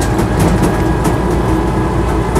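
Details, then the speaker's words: Land Rover Series III 88in soft top driving in overdrive: heavy low drivetrain rumble with only a faint gear whine, unusually quiet overdrive, no jumping out of gear or extra whining; gearbox sounds normal. "the overdrive for one of these is unusually quiet um that's to say it does wind slightly as you can hear"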